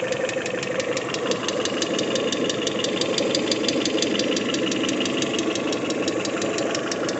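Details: Peugeot 406 Coupe, 244,000 km, after timing belt replacement, warming from about 50°C: sharp, even tick about three per second over idle from noisy hydraulic lifters, diminishing and nearly gone when revved.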